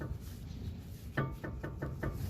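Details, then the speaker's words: Nissan Xterra with the wheel off: the brakes are applied and the caliper piston comes out but retracts and doesn't hold. About five quick hollow clunks as the loose caliper rattles. Owner suspects a bad master cylinder; not confirmed. "So, it applies the brakes. The piston comes out, [Music] but it doesn't hold anything. So, it looks like it retracts back. And this is the rattle. If the brake pads back off enough,"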